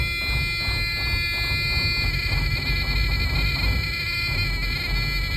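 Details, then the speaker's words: Detroit Series 60 truck in cold, windy weather, starting after the TRS crank sensor was replaced for a crank-no-start: continuous high-pitched low air pressure buzzer over a rumbling diesel idle, sounding until the leaky air tanks fill. "well that's music to my ears this buzzer's not going to shut off until they fill up with air when it's when it's cold out this truck leaks all the air"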